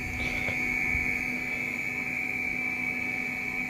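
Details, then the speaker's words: Audi Coupe GT (DZ) 1.8 8v with K-Jetronic, after fitting new Bosch injectors and aviation-type injection lines meant for a Golf 2 GTI 16s: a steady high-pitched singing tone with the flow plate barely open. The old lines and wrong-reference injectors are suspected of the earlier poor spray. "Et puis à peine le plateau ouvert, il chante direct maintenant."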